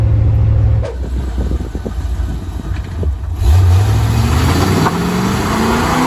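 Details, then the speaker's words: 1985 Chevrolet Corvette C4 driving under acceleration after the fuel issue was fixed with a fuel pressure regulator: engine note climbs steadily through the gears over road noise without hesitation, bogging or cutting out; smooth idle, good throttle response, healthy fuel delivery. "the engine's idling pretty smooth now got a good throttle response it doesn't want to choke out and die on me when i'm driving"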